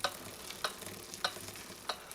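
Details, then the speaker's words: Trek 6500 mountain bike rear freehub, which barely clicked with gunked lubrication, after applying thin cleaner-lube where the freehub body meets the hub: wheel spinning with crisp, evenly spaced clicks returning, normal pawl ticking. "and sometimes it's enough to work its way in there and get clicking again okay you can already hear it coming back to life"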